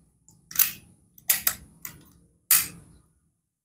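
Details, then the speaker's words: Predator PCP air rifle with erratic accuracy: four sharp shots of uneven loudness, two strong, two softer; inconsistent shot sound, hammer spring suspected, not confirmed. "dua beda ya tembak lagi tiga agak keras yang tadi yang kedua agak pelanak lagi nah itu ya Empat suaranya beda-beda"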